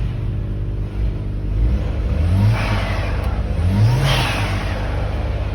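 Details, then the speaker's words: VW Passat B5 turbo: engine revved twice, and a fluttering chatter follows each throttle snap-shut; turbo flutter (compressor surge). "falando que esse barulho do flutter que teve do vídeo anterior é de mentira não é não"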